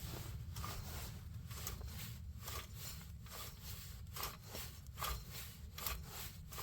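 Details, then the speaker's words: 1994 Chrysler Town & Country AWD front hub turned by hand with the axle out: a gritty, rasping grind pulsing with each turn from a rough, worn wheel bearing, earlier felt loose. Both bearings are being replaced. "Definitely makes a fun noise. I swear this is the one that was freaking loose when I was in here last time, but it's not loose right now."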